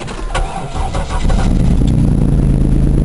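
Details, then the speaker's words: 1998 Buick Park Avenue with over 200,000 miles: the starter cranks, then the engine catches into a loud, blatting low rumble at idle. It runs decently but has a big exhaust leak; the owner thinks there is a large hole. "runs halfway is decent but it's got one heck of a exhaust leak"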